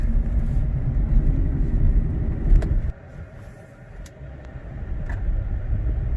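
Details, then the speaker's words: 2018 Silverado 5.3L V8, non-flex fuel, with an aFe Momentum GT intake replacing the compromised stock airbox, in cab with windows up while driving: deep drone that drops off sharply on lift-off, no knock or whistle. Normal intake sound. "and it definitely growls quite a bit more, and it definitely has quite a bit more grunt in the low end."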